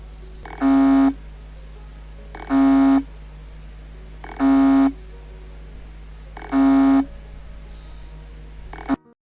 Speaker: este sonido producido en el momento de atascar la cabeza es muy bajo y hay que que escucharlo con mucha atención este sonido se puede escuchar solo durante unos segundos después de lo cual la energía se detiene dentro del disco duro